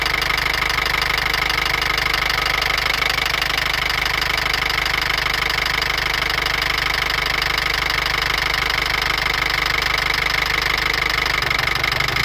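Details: Mercedes ML250 CDI with the OM651 diesel at idle: a sharp metallic tick-knock about three times a second, evenly spaced and constant. Cause unknown.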